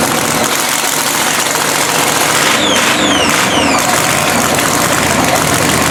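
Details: Blown 3,500 HP Hemi drag truck after an all-night rebuild following a 3-second pass. Loud, lumpy, choppy idle with harsh blower whine on top; all cylinders firing, sounds healthy.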